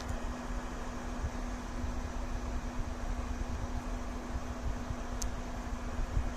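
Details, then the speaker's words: TOUYINGER Q10 projector running, heat pipes and fan visible: steady, even cooling-fan rush with faint constant hum, no ticking or rattle; normal operating noise. "Aqui é o barulho do trabalho dele, vou ficar calado para vocês escutarem."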